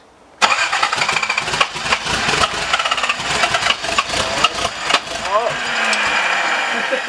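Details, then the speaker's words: Turbo Datsun on its first startup: engine catches and runs ragged and lumpy with no steady idle, smelling heavily of gas. A dead-cylinder misfire. "that sounded brutal. It smells brutal too. Smells good. Smell like a lot of gas."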